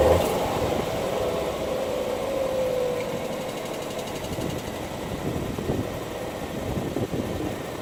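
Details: Ford Focus 1.5 EcoBoost, three sets of spark plugs in 10 months and 6,000 miles: cold start settling into a lumpy, stumbling idle; misfire usually clears once warm, engine light when lit typically reports cylinder 3 misfire.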